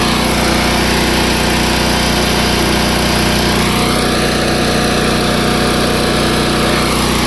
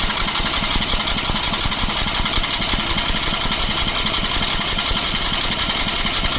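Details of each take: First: Long-parked trailer crane's small engine, started on choke from a jump box: runs fast and even with a steady buzzing drone and no stumbles, warming up cleanly. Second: Gasoline engine on a crane parked for many years, fed from a gas can bypassing the factory tank, on jump-box power. Even starter churn with no firing while the pump primes. Cranking without starting; no fuel yet.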